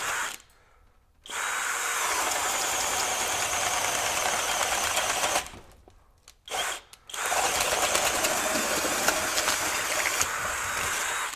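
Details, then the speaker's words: Kobalt KHD124 24V brushless hammer drill in speed one driving a 2-9/16 inch self-driving auger bit through pressure-treated wood; motor drones hard in long bursts with short pauses, holding speed; copes fine under heavy load. "yeah so in speed one no problem driving that 2 and 9 16 inch bit"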